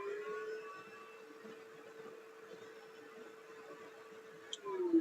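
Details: Shark vacuum with power restored, parts still to be swapped: steady mid-pitched motor hum holds evenly, then drops in pitch as it spins down; motor runs normally.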